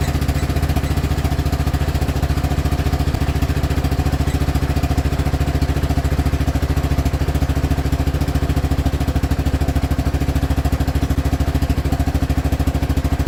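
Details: CF Moto Z6 running after rear crankcase seal replacement, oil topped up: deep, even thumping at a steady idle, regular firing pulses with no knocks or rattles; running normally.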